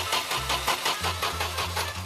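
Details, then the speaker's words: Abandoned fire truck van left 30 years in the woods, cranked on a booster after pumping fuel: starter churns over in steady beats, two to three a second, never catches; suspected wiring or sooted spark plugs, unconfirmed. "If there's gas, then it's the wires or the spark plugs. I'll quickly check both right now."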